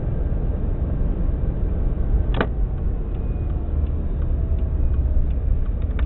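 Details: Subaru WRX EJ205, warmed up, at idle: steady low rumble with slightly uneven beat, cylinder 3 misfire not fixed by spark plugs, cracked valve suspected; engine shakes a lot, small squeak from AC compressor.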